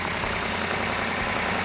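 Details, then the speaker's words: Freshly rebuilt engine in a 1970 Barracuda converted to a '70 Cuda, initial startup: loud busy engine running unevenly with a ragged beat because the choke is slamming shut; choke to be disconnected and adjusted. "first thing I always look for is oil leaks choke slamming shut oh that's why okay can you disconnect it we'll have to adjust that"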